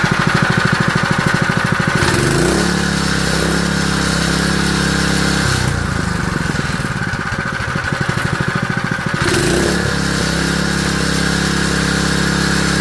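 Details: Honda GX160 junkyard engine after a carburetor rebuild: it catches on choke, revs up and settles into a steady fast thumping run, dipping briefly then picking up again; running fine, with lots of smoke.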